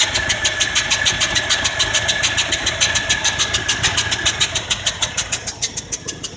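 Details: 1978 Ford F-150 302 V8 with a carburetor. Quick, steady ticking about three a second over the running engine; the owner suspects a head gasket or exhaust leak, unconfirmed.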